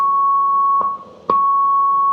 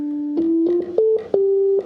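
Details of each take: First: 1965 Hammond A-122 organ after a foam job, vibrato off: a clear high note with faint, uneven stray tones murmuring underneath; tonewheel generator leakage (crosstalk), inconsistent across the keyboard and really bad on upper tones. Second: 1965 Hammond A-122 organ after a foam job, vibrato off: pure steady notes played one after another, clear with no background hum or whisper; these tones are clean, unlike upper tones with generator leakage.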